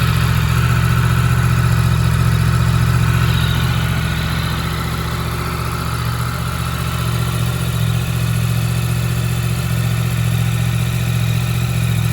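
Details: Yamaha MT-10 motorcycle idling after a stone-cold start, having sat about 3 weeks on a trickle charger. Steady, even idle with a smooth low beat and no knocks or rattles. Normal, healthy cold idle.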